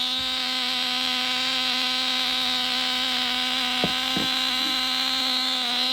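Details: Nitro glow engine swapped into a Losi Mini-B RC buggy, mounted on its side, first run after priming and glow igniter, before break-in heat cycles: high steady buzzing whine, even pitch, no misses or sputters; running cleanly.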